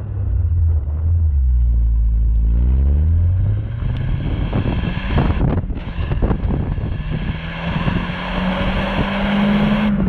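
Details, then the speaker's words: Corsa B GLS 1.4Si four-cylinder petrol on road test after coil pack replacement cured a three-cylinder misfire; pulls cleanly and evenly as revs climb through the gears, healthy four-cylinder running. "right time to get packed up into newly shiny car and get up the road coil pack installed and we're back on four cylinders"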